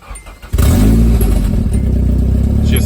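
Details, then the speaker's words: Nissan S13 240SX yard find, first start in over a decade after repairs: cranks briefly, fires right up, settles into steady even idle then revs; normal start and idle. "fires right up. Idles like it's supposed to. Revs out now."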